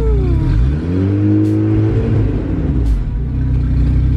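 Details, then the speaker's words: Acura with a sleeved GSR B18 turbo on AEM EMS, tach not working: the engine revs up, then holds at a fixed ceiling with a choppy, stuttering note; the two-step launch limiter is cutting it off. "Give it a little more gas. That's on the two-step. Oh. That's why it's like limiting itself."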